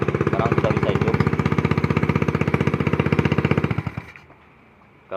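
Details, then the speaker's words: Honda Beat scooter, which had died when the center stand was lowered and kept blowing its fuse, now running after the wiring was rerouted over the top. Even, steady putter at about three beats a second with no misses, then a clean cut-out: normal idle. "Kalau tadi pas dijatuhkan standar 2-nya pakai standar 1, motornya langsung mati teman. Sekarang sudah bisa hidup."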